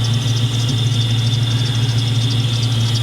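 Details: 1997 Mustang GT V8 after SLP Loudmouth exhaust, BBK X-pipe and K&N cold air intake: deep idle with audible intake air rush and a high chirping squeak about three times a second, from the squeaky belt tensioner pulley.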